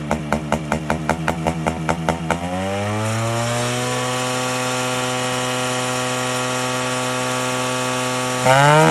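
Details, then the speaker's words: Yamaha RX135 two-stroke, warmed up, carburetor air screw fully tightened and then adjusted to set idle RPM: a few sharp throttle blips, then the revs settle into a steady, even, properly tuned buzzing idle. "ಒಂದು RPM set ಆಗುತ್ತೆ, RPM ಅಲ್ಲಿ perfect ಆಗಿ tuning ಸಿಗುತ್ತೆ."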